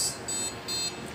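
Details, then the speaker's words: Desktop PC with no display at power-on gives short high beeps about every half second; a startup error beep, likely memory-related. "let's try an example like this if you attempt on your computer then you'll hear a beeping sound like that"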